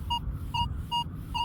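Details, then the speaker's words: Metal detector with the stabilizer raised to 4 (normally run at 1): four short, scratchy, broken beeps near 1 kHz about half a second apart on a target reading 86–96. The higher the stabilizer setting, the choppier the target tone. "Here's 4. See how it's choppier. The more up on the stabilizer I went, the choppier I got."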